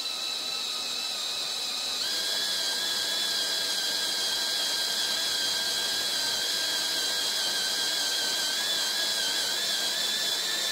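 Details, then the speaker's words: C5 Corvette LS6 aluminum block, drilling a pulled head-bolt hole for a Time-Sert style insert, air compressor running in the shop: thin steady high whine that jumps slightly in pitch as the bit loses resistance at the hole bottom and stops cutting. "bit here how it lost all his resistance that's at the bottom of the hole and since he flattened out the tip it won't keep Drilling"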